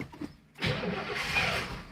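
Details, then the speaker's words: Car, first start in 30 years: brief crank and rough burst of running that fades off; out of fuel, owner suspects the fuel pump isn't drawing from the tank. "you also wouldn't think i've gone through 30 ccs of fuel yep it is out of fuel"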